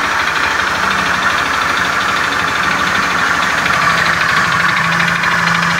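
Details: Beat FI scooter with a rough starter, idling in the workshop: a rough, uneven klotok-klotok clattering with a dull knock under a harsh, buzzy engine note. Cause unconfirmed.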